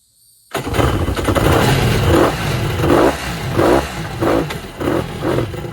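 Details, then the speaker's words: Kawasaki 1100 jet ski with low compression, fuel cut off and tank drained, two-stroke premix poured into the cylinders: rough, lumpy surges about once a second; firing on two cylinders, centre one low compression. "Okay. So, two cylinders are are firing, I suppose."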